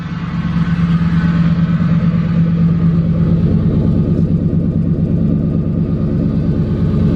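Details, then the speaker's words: Ford Crown Victoria after intake manifold replacement, fixing years of O2, catalyst and misfire codes: even, steady exhaust pulse at idle, no stumbles; engine running normally, no misfire. "Yo, running like a top. No misfire, no nothing."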